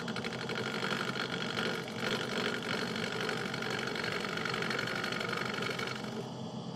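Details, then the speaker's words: Wood lathe turning an emerging bowl: even shaving hiss with a soft whoosh about four times a second, a gentle fine cut rubbing the bevel; clean cut with no chatter or catches. "so you're just going very gentle and you're trying to um get a perfect smooth cut inwards rubbing the bevel bringing it out"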